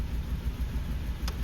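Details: Suzuki Grand Vitara running rough with no fault codes; scan shows short-term fuel trim 14–17%, MAP 45, vacuum okay. Low, lumpy idle with a soft uneven thump roughly every sixth of a second; dead cylinder with low compression.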